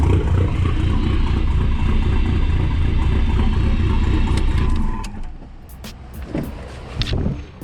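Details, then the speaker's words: SRT-4 with stock cams, engine recently swapped from another car, throwing code P0016. Deep, choppy idle loping three to four beats a second, like a big cam. Suspected jumped timing belt throwing cam timing off. "sounds pretty good all right so the only problem is this car has stock cams and it sound like that"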